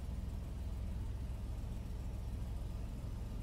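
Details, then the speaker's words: Ford Explorer idling after throttle body cleaning for rough idle: steady low rumble with no stumble or surging, idle even and smooth. "all right everything's sounds clean better than it was before"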